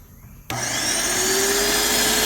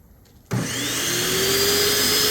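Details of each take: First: Graco airless sprayer, about 9–10 years old and stored, in prime mode: pump kicks on abruptly and whines steadily without loading up or shutting off; debris stops the spring-loaded check-valve balls seating, so no pressure builds; fixed by cleaning. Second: Graco airless paint sprayer, about 9–10 years old, after disassembling and cleaning parts, primer switch open: motor starts and settles into a steady even hum with smooth pumping rhythm, no stalling; priming and pumping normally.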